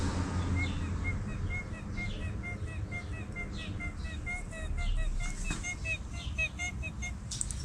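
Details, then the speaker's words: Old water pump removed from a MKIV Toyota Supra, spun by hand: dry, uneven high squeaky chirps from a worn bearing, versus the smooth new pump; the old pump was leaking coolant from the weep hole. "Yeah, so that's an issue. And right from the weep hole, it was indeed leaking down."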